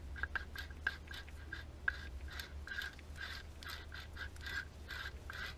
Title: Hyundai i 40 1.7 D 2012 Alternator Clutch Pulley Replacement